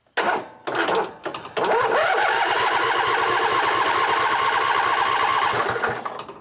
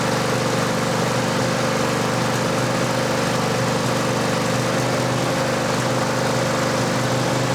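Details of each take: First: Cub Cadet LT1550 lawn tractor with a two-barrel carb that won't start: starter drags the engine slowly, about three labored beats a second, like a dead battery even though the battery was just charged. The anti-backfire solenoid is not clicking. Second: Cub Cadet LT1550 mower that came in as a no-start, with a brand-new carb and the fuel filter checked: an even idle holding with no stumbling or surging, though the mechanic says it runs a bit lean.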